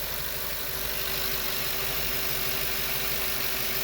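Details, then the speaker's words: 8.1 Vortec V8 in an RV/motorhome, running with no fan blade fitted during radiator cleaning: steady even idle with constant hum and airy hiss, no knocks or misses; quiet, smooth, healthy engine. "you see we got no fan blade fairly quiet smooth engine"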